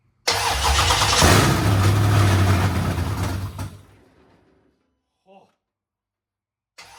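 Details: 1972 Dodge Charger Rallye with a Gen 3 Hemi being fired up for the first time after rewiring: the starter cranks, the engine stumbles into a rough roar for a few seconds, then dies away. It tries to run but won't stay running. Cause suspected, not confirmed.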